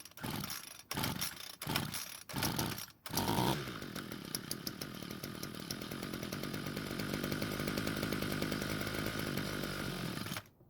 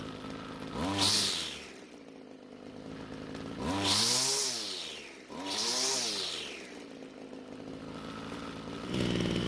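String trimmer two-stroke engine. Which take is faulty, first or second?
first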